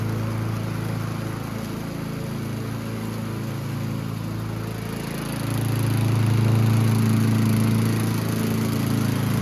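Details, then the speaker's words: Yard Machines (MTD) 22" High Wheeler push mower, 4HP Quattro Briggs & Stratton, after all found issues corrected: even, steady single-cylinder note dipping slightly as it bites into grass, holding speed cleanly; normal under load. "we've corrected all the issues that we found and I think the last thing is just to do a couple passes with it and see how it does"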